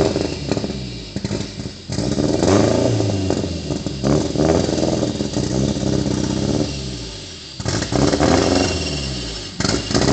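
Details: Nissan KA24DE dual-cam engine just swapped in from a single-cam, timing not yet set and exhaust not fully bolted on: uneven rasping note surging and stumbling as it revs, exhaust crackle; rough running from bad timing and exhaust leak.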